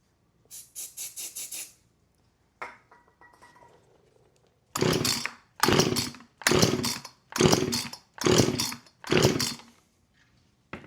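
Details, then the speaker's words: Husqvarna 455 Rancher chainsaw, unrun about 3 years, starting fluid sprayed in. Each pull gives harsh bursts that fire only briefly and never catch, a hard start from a fuel delivery fault; it later ran on choke. "Okay, look. I'm going to spray the starting fluid in here. I'mma pull it and it's probably going to be really loud."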